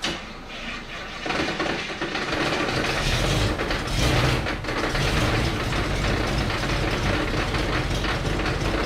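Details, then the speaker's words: Rough, clattery, loud idle with an uneven mechanical rattle from a 1964 Buick LeSabre just pulled from years of barn storage, jump-started on low fuel; owner suspects a loose flex plate or torque converter and low fluid, and it quiets when driven. "I don't have a lot of fuel but there's more fuel than what's in there alrighty jumper cables on there turns out the Merc this battery is dead as well so that's a no help so it's not cool all right see what happens here although that car didn't seem like it struggled at all boy that's noisy"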